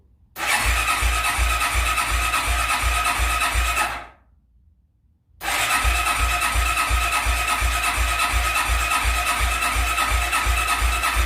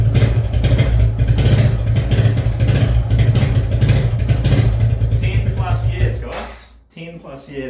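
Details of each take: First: Suzuki QuadRunner ATV barn find, not run in 10+ years, first cold start on full choke: single-cylinder thumping about 167 beats a minute, uneven and lumpy with a brief dropout; rough, sputtering but running. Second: Suzuki Quadrunner ATV barn find, not started in 10+ years, running after revival, choke eased off: small single revs and settles into a steady, fairly even run before cutting back; runs cleanly and responds to throttle; normal running.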